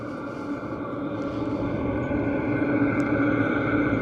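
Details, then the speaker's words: Diesel heater in a simple truck camper build, heard from about 15–20 feet away after warming the cabin to 68–69°F: a steady, even whoosh with a soft low rumble and no knocks or rattles, much like a hot water heater. Normal diesel heater operation. "Kind of sounds about the same as a hot water heater does."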